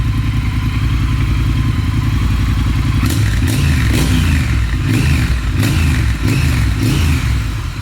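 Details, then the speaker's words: Triumph Thruxton R just after installing Motone X-pipe cat delete, before heat-up remapping: deep, even thump at idle, then clean throttle blips rising and falling smoothly, no rattle; normal running, revving. "so let's see how she fires up okay it sounds like it's running pretty good"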